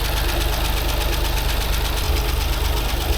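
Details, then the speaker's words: 2016 Range Rover Sport, only bank 1 has compression, cylinders 4, 5, 6 missing, suspected timing chain failure: idle thumps with a low, heavy, uneven knock about three times a second; major mechanical failure, engine must come apart. "It's definitely got major mechanical failure. This engine's got to come apart. Timing chain is probably messed up."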